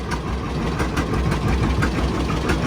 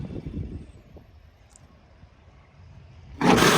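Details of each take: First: 1955 John Deere Model 60 two-cylinder, fresh oil and new plugs, fed from a temporary boat gas can: slow, steady popping through an open pipe, even and unhurried; idles healthy. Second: 1955 John Deere Model 60, running temporarily off a boat gas can with fresh oil and new spark plugs: two short harsh grinding bursts as the starter engages, no firing between; owner says the starter is faulty and must come off.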